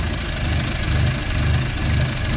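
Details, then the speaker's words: 1951 Studebaker with makeshift exhaust using a Corolla muffler, exhaust leaks noted, first cold start after a week: slow, lumpy idle with deep burble and loping beat; idle speed possibly set too low, may need increasing. "at first I think I don't speed needs to be increased but like Let It Go All the Way"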